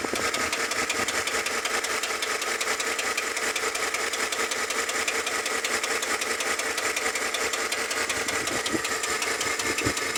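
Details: Tahoe engine at idle: fast, light, metallic ticking rides over a steady idle and follows engine speed, typical of noisy valve lifters.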